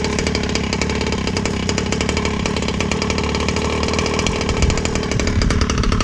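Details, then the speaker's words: Rovan 36cc two-stroke with Victory big bore and pipe, started without choke on a hot day: fast, crackly pulse holding steady and low without hunting or stalling; normal idle. "Pipe sounds badass. See where my idle is."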